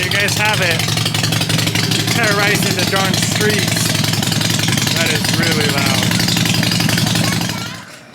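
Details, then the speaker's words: 2007 Harley-Davidson XL883L Sportster Low Rider, theft recovery, previously non-running, first start: loud, lumpy V-twin idle with hard crackly exhaust bark, very loud but running steadily; plugs look poor. "honestly this bike is ready to rip it is far far louder than I thought it would be this is uh you leave in the morning all of your neighbors know that you left in the morning like this is a loud loud bike"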